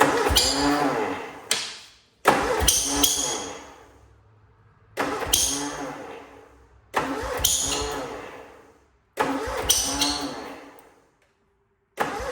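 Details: Cub Cadet Cyclops with a twin-cylinder Kohler 18, smoking, fresh 10W40 oil, cold start: five short cranking bursts that catch roughly, then fade and die; uneven firing, blown head gasket suspected, owner also suspects muffler, coil or plug.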